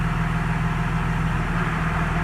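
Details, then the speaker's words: 2017 Cummins with a G56 manual gearbox and Valair organic dual-disc clutch, idling after the ATF+4 was replaced with 7 quarts of Mobil Delvac 50; steady low diesel idle with the earlier gear rollover noise now almost silent. "yeah that's almost silent with that 50"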